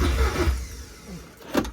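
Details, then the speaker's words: Porsche 944 Turbo with 07K engine swap on Haltech, after engine-position and trigger-reference error codes: a few sluggish, labored cranking turns fade without catching; slow crank from dead battery at 11.1 volts. "Well, as you heard that, battery is dead."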